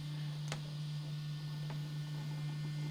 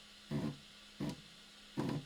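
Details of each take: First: Prusa i3 Mk2 3D printer homing its axes during a firmware update: steady motor hum rising in pitch with a faint rough rasp from the Z-axis linear bearings, which were not upgraded with the others. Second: Prusa i3 MK2 3D printer during Z-axis calibration after a firmware update, with the carriages driven until they bottom out on the top pieces: short buzzing grinds over a faint hum. The stepper motors are skipping steps at the end stop, as intended.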